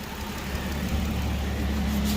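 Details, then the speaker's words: Hyundai Genesis 3.8L engine after timing belt, crank pulley bolt at 224 ft-lb and coolant work: steady even idle, smooth low hum, no rattle or tick; previous noise gone, engine quiet and healthy. "it's a pretty quiet engine so that's good no more noise"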